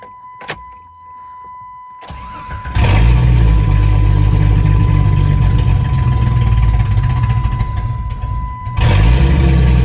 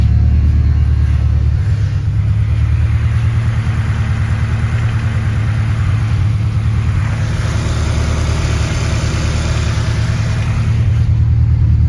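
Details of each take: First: 1996 Jeep Grand Cherokee ZJ after fitting new injectors (plugs and wires done earlier, old injectors looked clogged): idle keeps stumbling and breaking up unevenly; misfire persists. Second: 1996 Jeep Grand Cherokee ZJ four-cylinder, first start in a while after temporarily repairing a loose connector terminal with new injectors: steady, even low rumble at idle, no knocks or hunting; normal idle.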